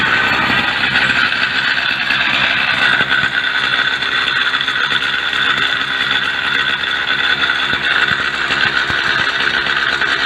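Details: Small two-stroke motorcycle idling at home after a 40 km ride, sharp rapid raspy chatter from a blown exhaust gasket leaking at the port; engine otherwise running well with no smoke, NGK B5HS plug fitted.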